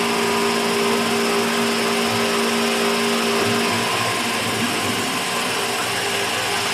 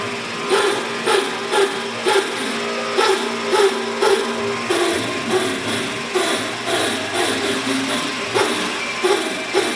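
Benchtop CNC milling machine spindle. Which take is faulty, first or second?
second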